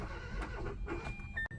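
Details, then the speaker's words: 2015 Hyundai Accent that won't start: starter cranks with an uneven, soft pulsing beat and it never fires, though it almost catches. Compression test read about 138 psi on one cylinder and 87 psi on another; low compression. "This is how a car sounds when it has bad compression. It does not sound bad, but the compression is bad."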